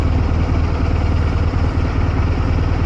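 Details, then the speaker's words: Cheapest eBay commuter motorcycle on a winter commute: low, uneven thudding with irregular pulses and no steady rhythm under 1500 rpm. It comes to life when revved and has an on-off clutch; the owner blames abuse the bike has taken. Rough running at low rpm. "but I think it's just specific to my bike that it's rough under 1,500 CC under 1500 RPM it's just a abuse that this bike has taken"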